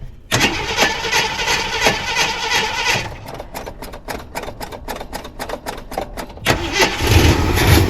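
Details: 1979 Jeep Cherokee, AMC 360 V8, sat 3-4 years unstarted; catches and runs rough briefly, dies into steady cranking near three beats a second, fires again; starts then stalls. Owner suspects low, bad-looking gas in a plastic jug tank.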